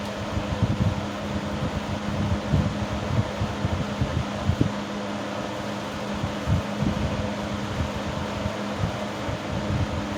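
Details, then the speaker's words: 1970s 16-inch Toastmaster box fan with its original bent blade set, on medium speed: steady drone with uneven irregular rattling buzz as the grille vibrates badly; fan blade imbalance causing grille rattle. "You can see how badly the grill vibrates. Now it's rattling."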